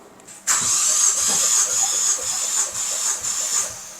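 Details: 2015 Ford Focus ST EcoBoost with coolant-burning issue, compression test cranking; even, steady cranking with a hissy whistle and no lopsided beats, cylinders reading about 140 to 155 PSI, rings good, compression healthy.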